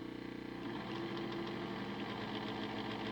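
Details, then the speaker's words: Motor in a home-made DCC decoder tester at 50% throttle, drawing just over an amp: whine jumps to a harsher buzz with uneven rattle; motor arcing inside, presumed cooked, likely why decoders were frying. "a little over an amp at 50 oh jeez it dropped man that motor sounds terrible"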